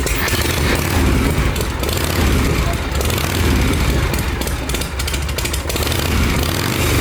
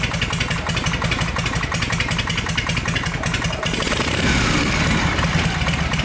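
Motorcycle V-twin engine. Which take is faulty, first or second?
second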